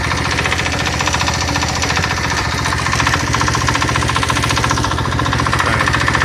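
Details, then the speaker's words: Single-cylinder engine driving a generator, after cover fix: sharp even tapping about two to three beats a second at no-load idle, disappearing with throttle or light load; owner suspects worn bearings from misaligned cover, unconfirmed. "появился более свободный ход появился стук двигателя на холостом ходу чуть нагрузку даешь и либо газу либо я просто свет включаю на генераторе и звук пропадает"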